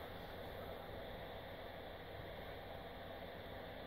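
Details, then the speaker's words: Synology DS1815+ NAS with No Power Fault, run on a substitute PC power supply: constant loud whooshing fan rush with low hum, no speed change; noise is the PC supply's fan. "I'll put the unit on now you can hear the discus tighten up remove the phone this loud noise is this crappy power supply fun"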